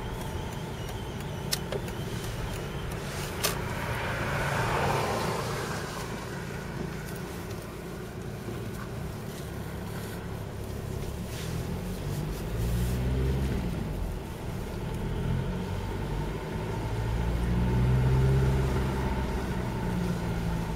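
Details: 2004 VW Passat 1.9 PD TDI rolling cold in neutral, windows down: faint high constant whistle over road noise, unaffected by RPM, stopping below 1 mph. Exhaust gases leaking through a cracked flexible section next to the catalytic converter.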